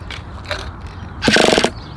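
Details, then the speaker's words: Vintage Traxxas nitro RC buggy on its first run, after sitting a while: a half-second burst of fast whirring clicks as the starter spins the engine, but it never fires; a no-start, with the charged starter power suspected to be too weak. "i can't start it up now yes sir let's try again let's try one more time it's been sitting there for a little while now maybe we'll start up now"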